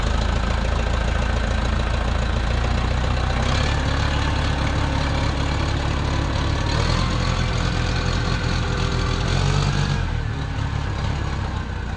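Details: 1968 Case 580CK backhoe, 188D diesel, rebuilt after sitting seized from rain ingress; low on hydraulic fluid, testing shuttle and gears: runs rough and uneven with lumpy low knock, won't rev cleanly; owner says it really needs injectors.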